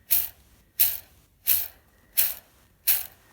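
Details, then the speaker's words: 2009 Ford Mondeo MK4 2.0 TDCi 140 hp 6-speed, clutch release bearing on the slave cylinder spun by hand after gearbox removal for a clutch/DMF replacement. A dry, gritty rush about every 0.7 s; the bearing is starting to fail. "So basically the bearings are starting to go on that, making a bit of noise."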